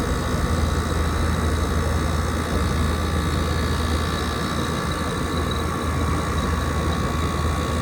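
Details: 2012 Frigidaire 18,500 BTU slide-out chassis window/wall air conditioner, R-410A 27 oz, 220 V, almost 14 years old, first spring startup at about 88°F outdoors, blowing cold. Steady even low hum, constant fan rush, no knocks, rattles or squeal: normal running.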